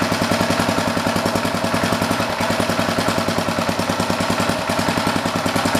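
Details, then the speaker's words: Old rototiller's Briggs & Stratton single-cylinder engine, with the air filter back on, ticks over at a steady, even idle with no misses, knocks or surging; sounds healthy. "sounds real good I'm gonna put it outside here quick and just let it run for a while let it burn off whatever will sit"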